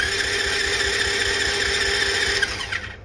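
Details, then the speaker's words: $200 marketplace dirt bike/moped that has spark, fuel and compression: starter whirs steadily with a fast churn of about four beats a second but never fires; no start. "It's got sparks. It's belting compression. Yeah. Should be starting now."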